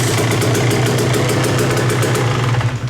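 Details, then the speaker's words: KTM 125XC two-stroke after an electric-start fault was fixed by re-securing the starter wiring: it starts on the button, catches and settles into a fast, crackly idle with a steady low drone. "let's see if we hit the button if it changes anything i think we're good to go i think we fixed it"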